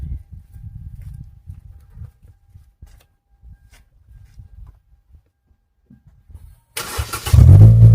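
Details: 2013 Hyundai Elantra GT start-up after installing a chambered muffler in place of a straight pipe: a few quiet seconds, then the engine cranks and catches into a deep, full exhaust rumble; clean, healthy start.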